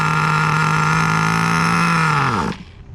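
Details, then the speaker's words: 2002 Tamiya Terra Crusher 1/8 nitro monster truck, pinch test on fuel line very close to carburetor to check low-speed needle: runs high about three seconds then sags and dies; poor indicator due to pinch location. "Okay, so that was about like, I would say 3 seconds. But of course I pinched it really, really close to the carburetor, so not a very good indicator."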